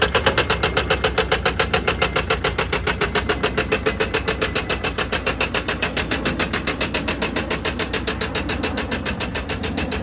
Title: Mercedes sprinter engine knocking #automobile #mechanic